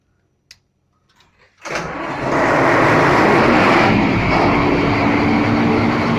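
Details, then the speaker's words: MAN 700 kVA diesel genset, one of three auto-synchronised sets, routine warm-up with an automatic start; quiet clicks, then it cranks, catches within a second and settles into a strong steady roar, a clean healthy start. "Jadi kalau manasin genset ini kita tinggal naikin sensingnya, nanti otomatis nyala ya guys ya."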